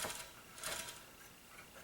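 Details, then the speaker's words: Hoover Tempo Widepath vacuum cleaner, motor exposed and turned by hand: a harsh scraping grind surges with each turn, most likely from worn carbon brushes. "Most likely the brushes, which you hear, brushes are right here and right here. Most likely those are kind of worn. Maybe worn a lot."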